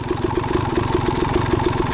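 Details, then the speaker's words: Suzuki RM250 two-stroke with a new Lectron Pro Series carburetor, hot after riding on a sand track. Crisp, even idle with quick pops about seven a second, settled lower and clean. Normal warm idle. "Bike's hotter. Idle went down a little bit. Kind of more where I would like the idle. Nice and crisp."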